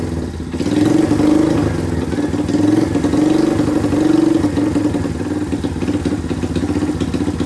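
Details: Rare two-stroke motorcycle revived in a workshop, with a long-thread two-stroke plug, good compression and a cleaned carburetor: after a couple of blips it settles into a steady, even idle with no misses. First successful start.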